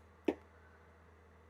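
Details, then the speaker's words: PS4 with a dodgy HDMI port: two sharp pops over a faint low hum while picture flickers and drops; pushing on the port restores picture, so an HDMI connection fault, not a retimer. "He has got a dodgy HDMI port. If I push down on it, I get picture. Yeah, it's not a ret timer. It's HDMI"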